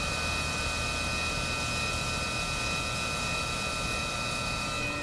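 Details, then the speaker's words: Tormach 1100MX face milling the jaws of a Shars CNC vise at 3500 RPM: constant high cutting whine with rough, uneven rasp as the mill digs in; jaw misalignment needing tramming. "you can kind of hear it digging in now so we do have some jaw misalignment which needs to be repaired"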